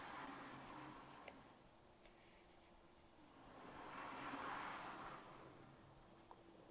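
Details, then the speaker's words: Accurascale Class 60 model locomotive after oiling the axle bearings and reseating a derailed middle wheel: soft even motor hum rising and fading as it passes, no squeak left; the squeak seems completely fixed. "Okay, so that seems to have fixed it completely now."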